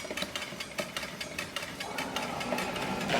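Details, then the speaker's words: Trek Rail e-bike, cranks turned by hand: rhythmic scraping swish with a faint metallic ring as the slightly bent rear brake rotor catches the caliper each turn; fix is replacing the rotor. "so that noise that you hear is the actual rotor it's slightly bent uh and that's catching on the caliper as it's going around and making that noise as you can hear"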